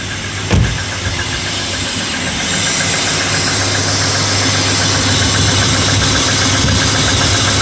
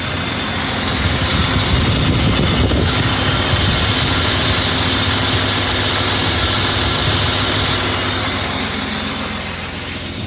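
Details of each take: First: BMW E34 M50 inline-six cold start on a winter morning around +2°C: fast idle with a slight rapid hydraulic lifter tick that fades as oil pressure builds. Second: BMW E34 with M50 six-cylinder, warm idle after oil change to Castrol 5W-40, air above freezing: smooth even idle with no ticking; hydraulic lifters quiet, still to be checked on a cold morning start.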